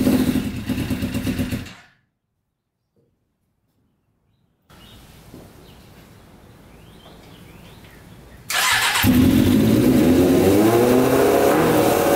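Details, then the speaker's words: Custom 100 hp Yamaha Banshee two-stroke after cleaning the middle carburetors with suspected stuck needles: shuts off, restarts and holds a crisp, even high idle; all pipes hot, every cylinder firing; normal running. "all right that sounds a lot better um let's just check the uh pipes and see if they're hot that one's hot that one's hot yep they're all hot every cylinder is running so that's awesome"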